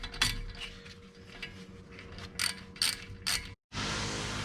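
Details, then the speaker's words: 2013 BMW 328i front hub turned by hand with caliper and rotor removed: rough, gritty ratcheting that sounds horrible; worn front wheel bearing, about to be replaced. "here's the wheel bearing that we're gonna remove. You can hear it sounds horrible."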